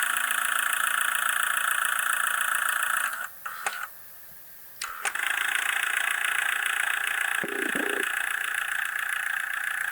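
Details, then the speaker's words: Tascam 122mk3 cassette deck before rebuild; steady hum, then on play the head stack thunks slowly and unevenly into place instead of snapping in crisply, sluggish head engagement. "see how the headstack is just struggling to come into place that shouldn't be that way that should be uh very very crisp"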